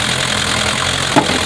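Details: 1960 Mercedes-Benz 190D diesel, restarted after new battery cables and ground straps and tapping the starter/solenoid with a hammer: steady, even idle with soft regular clatter, no misses or knocks; running normally.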